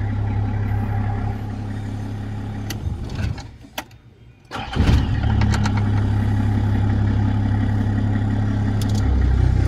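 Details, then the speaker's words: Nissan Safari/Patrol diesel after starter repair (cleaned, new Bendix drive and solenoid) for hard starting; starter was slow and whistling, possibly from flood water. Steady idle, brief shutdown, quick strong crank catching at once and settling to even idle; healthy start. "Okay na po natin yung starter. Nalinis na natin. Palit tayo ng Bendix drive, solenoid."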